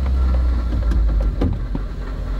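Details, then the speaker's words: Car idling fine with irregular metallic rattling clinks from loose pieces inside the catalytic converter; runs okay, no cat codes; secondary air injection pump code also stuck and cleared; catalytic converter rattle at idle. "it's idling perfectly fine hear that rling noise the Catal converter is rattly now it runs okay and it's not tripping any cat coats"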